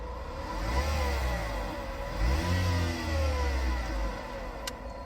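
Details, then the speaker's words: Vauxhall Astra 1.4 with a very loud engine noise; loud steady whirr over the engine rising and falling with revs, traced to the alternator; alternator needs replacing. "The sound is coming from the alternator. So, the alternators need replacing."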